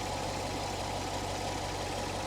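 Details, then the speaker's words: 2014 C7 Corvette, 455 hp, 19,000 miles, minor damage, at a salvage auction; steady, even V8 idle with a smooth low rumble, no knocks or misses; engine sounds healthy. "she sounds good she really sounds good"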